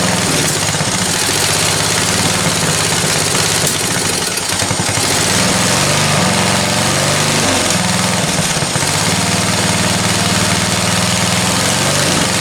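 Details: Discarded ride-on lawn tractor after the carburetor was cleaned again ultrasonically: steady mid-pitched single-cylinder putter on choke with an even firing beat and no misses. Normal running.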